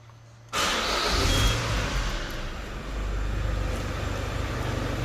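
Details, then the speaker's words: Peugeot 307 CC after coil removed and four spark plugs' tightness checked: engine cranks, catches and idles steadily with only normal light injector ticking, rhythmic pip-pip misfire noise gone; repair successful. "Il n'y a plus de bruit, comme vous pouvez le constater. On a juste le bruit absolument normal du cliquetis des injecteurs, mais on n'a plus le bruit pip, pip, pip, pip, pip, pip, comme on avait dans la première vidéo."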